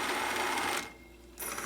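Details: Zenith YT960 stereo console with Z57 (Wollensak 5730) reel-to-reel, restored with a new belt: steady whirring rush from the spinning reels with a quieter dip midway; normal fast-forward noise from hard plastic idler wheels.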